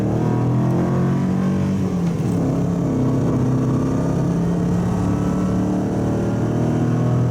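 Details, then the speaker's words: Subaru wagon with a worn X-Force straight-through fiberglass-packed muffler, inside the cabin on the freeway at 100 km/h, 3,000-4,000 rpm under full load: deep steady droning hum booming into the cabin. "get it sort of 3,000 to 4,000 revs under full load, and you'll, on the inside of the car, you'll know what I mean and why I'm changing it."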